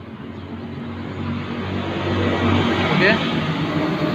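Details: 2013 Honda Beat FI injection scooter, brought in dead with no electrics, idles with a steady low putter of about four beats a second under street noise after repair of the black 12-volt wire from the ignition switch; normal smooth idle.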